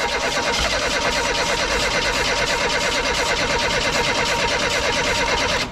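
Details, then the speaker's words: 1988 Reliant Rialto: fast even cranking for about six seconds while brake cleaner is sprayed into the carb with the piston held open; it tries to fire, pointing to a fuel supply problem. "have we cranking she tried to go it's it's a fuel issue it has to be a fuel issue she's trying to go though"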